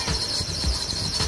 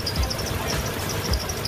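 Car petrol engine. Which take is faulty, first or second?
first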